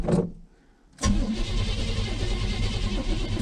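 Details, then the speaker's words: 1983 Chevy C-20 with 350, first start attempt in about 7 years on a borrowed battery and old gas: a short crank, a pause, then long steady cranking that never catches; plug wires were on the wrong posts by about two. "i'm really surprised it started out started up so easy after i figured out the plug wires were on all the wrong posts by like two"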